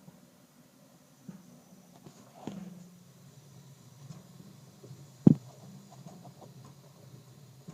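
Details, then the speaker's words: Water heater makes a low quiet hum broken by a few sharp irregular pops, one much louder than the rest, while running; the owner thinks this isn't normal, cause unknown. "Okay, so I'm filling clothes in this audio heater. It's making this noise. Tell me if this is normal or not."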